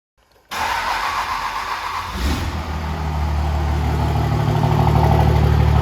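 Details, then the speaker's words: 1999 Dodge Ram with swapped 2003 common-rail Cummins engine on a standalone harness, Smarty flashed: catches after a short crank and settles into a steady, even diesel clatter; normal start and idle. "all right so there you guys have it the truck does run on its own"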